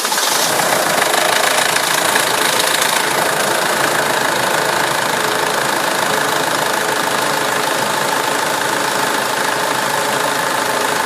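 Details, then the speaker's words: SsangYong Kyron diesel starting right after an oil and filter change: harsh clattering with loud rapid ticking near four per second over a rough idle; suspected brief oil starvation while the new filter filled, not confirmed. "Что это было? Наверное, фильтр, новый фильтр, наверное, пропитывался, наверное. Не хватило чуть-чуть. Как голодание произошло, видимо."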